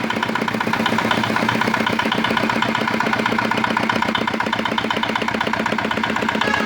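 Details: Old, modified Chinese R180 single-cylinder diesel used for wood splitting, after repair of a bearing knock/seizing complaint (crankshaft already replaced elsewhere): even, solid thumping at about four beats a second, steady pitch, no knocking or misfires; healthy.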